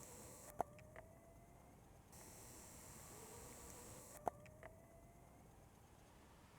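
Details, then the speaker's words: 1992 BMW K100RS 16-valve motorcycle at key-on: brief rising hum then quiet as the fuel pump primes; battery too weak to crank the engine. "that's a fuel pump don't even touch that button do not touch that button"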